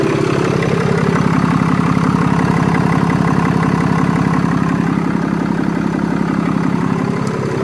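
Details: BMW F11 535d M Sport Touring diesel, off the road for 3 years, idling after a failed rev attempt: loud, steady idle with an even low throb of about three pulses a second; abnormal sound, cause unclear, no smoke today.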